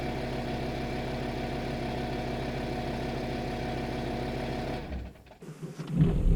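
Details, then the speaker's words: VW Touareg 7L 2.5 TDI R5 diesel after glow plug replacement: started instantly, no smoke; steady, even five-cylinder diesel clatter holding an unchanging beat at idle with no misses or hunting; running healthy. "it started instantly I can hear the engine I don't see any smoke at all oh my god oh my god this was a great success"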